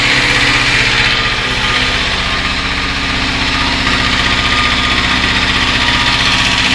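Steady idle with a regular sharp tapping about four per second riding over the engine note; a knock from inside, cause unknown.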